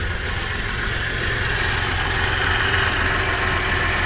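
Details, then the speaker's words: Audi 100 C4 2.8 petrol V6 with LPG (4th generation), said to be freshly overhauled and still in break-in; misfiring, no power, stalls on the road; uneven idle with irregular low stumble about four beats a second. "працює страшно на холодну кажуть що заводиться"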